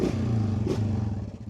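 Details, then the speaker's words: 2017 Honda Foreman 500 foot-shift ATV, pulled from six months' barn storage, idling: even, steady low putter and soft vacuum-like hum with no knocks or rattles; normal idle, though owner is almost sure it needs a top-end rebuild (faint oily smell). "Oh yeah, it sounds like a vacuum cleaner, and I love it because I use this thing for hunting and I don't want it to be loud because I'm an old man now."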